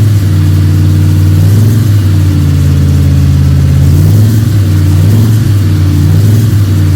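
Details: Freshly built 302 Cleveland V8 with a Holley Sniper and electronic distributor, about 20 minutes into cam break-in: deep, even rumble that swells smoothly with each throttle blip and settles without misses or knocks. Healthy engine.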